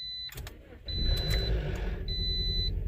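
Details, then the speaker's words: 2009 Toyota Matrix 1.8L, after dealer timing chain tensioner and spark plug work, hard starting: warning chime, then engine catches with chain rattle and an uneven, lumpy idle; misfire suspected. "it's definitely running rough right there oh and i think the spark plug oh it's really rough guys this feels like a misfire"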